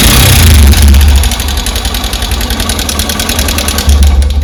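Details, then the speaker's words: Honda SP125 BS6 with about 7 km showing, at idle: sharp, regular ticking of about 3.5 per second rides over the idle. Timing chain or a failed rocker arm roller bearing with play is suspected. "सुन सकते हैं कितना खराब आवाज हो रहा है य तोक इसका खराब हो गया है ब टू गया टाइम चन का का कुछ प्रॉब्लम है इसमें"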